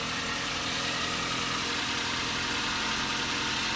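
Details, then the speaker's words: 2007 Toyota Avanza Type G VVTI used car at normal idle: steady, even, smooth engine with no knocks, misses or wavering speed, only a constant hiss behind it; no significant vibration, exhaust not smoking; healthy. "Hai kalau maksudnya halus teman-teman terdengar maksudnya halus"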